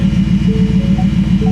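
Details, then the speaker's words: Coyote-engine vehicle in gear with very loud exhaust and check engine light on: steady low drone, fast even throb and faint whine; transmission noise, transmission pump suspected, not confirmed. "it goes backwards you hear that I think that's a transmission I think the transmission pump is"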